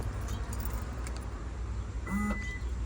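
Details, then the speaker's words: 2014 Toyota Camry, engine idling: unlock pressed, trunk latch motor gives a brief half-second buzz with no release clunk, trunk won't pop but opens manually; failing trunk latch actuator, to be replaced. "you can hear it doesn't want to open so I just have to open it manually with the handle"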